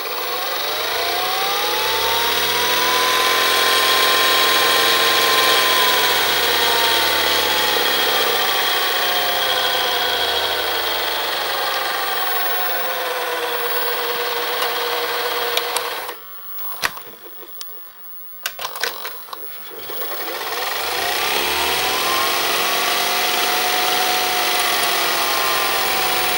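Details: Panasonic NV-SD430 VCR (Super Drive, Z mechanism): the tape mechanism whirs loudly, with a motor whine sweeping up and down and clicks during a brief pause. The cause of the noise is unknown.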